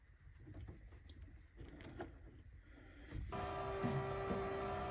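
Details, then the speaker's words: Split-window Corvette engine not run in 25 years, with the ignition jumped by wire: handling noise, then a steady high hum switches on and holds; the electric fuel pump is running normally. "You can hear the electric fuel pump running. Again, I jumped the ignition."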